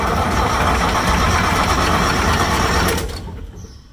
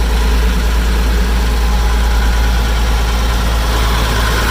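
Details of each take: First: Massey Ferguson 550 diesel tractor, first start attempt since 2019, injectors cracked to bleed lines: steady starter churning for three seconds that never catches; no start from air in the fuel lines. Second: Massey Ferguson 550 diesel tractor idling after its first start since 2019, following a shot of ether at the air cleaner: steady, even low rumble with no misses or knocks; normal healthy idle.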